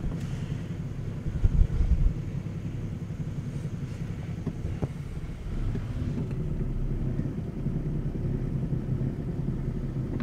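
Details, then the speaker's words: 2007 Ford Falcon BF Mk2 automatic ute, repairable write-off with front-end damage, idling with a deep, uneven knocking thud heard in the cabin and felt through the steering; owner suspects the power steering pump. "It's got a horrible, like, knocking, thudding noise inside the cabin."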